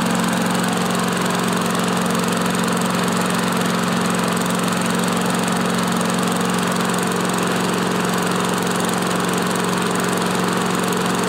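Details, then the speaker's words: Old Craftsman mower with a Tecumseh engine, previously seized and freed with Liquid Wrench, first start, microphone facing the exhaust. A smooth, even, steady single-cylinder hum with no knocks or surging, minimal oil smoke. Normal running. "wow boys I can't believe this thing uh runs that good very very minimal uh oil burning from the exhaust"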